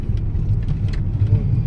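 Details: Toyota Alphard 30 after repair of a noise near the steering column: only low even road rumble while driving, no creak, clunk or rattle; noise gone.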